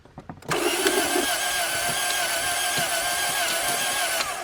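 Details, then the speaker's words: 1987 Toyota Corolla FX 1.6 L four-cylinder manual sitting since 1999, new battery, carb cleaner used, clutch pushed in: steady starter whir with even cranking pulses about four seconds, never fires; cranks, no start, though it tried to start. "Oh, we got power. Nothing. Turns over. Had to push the clutch in."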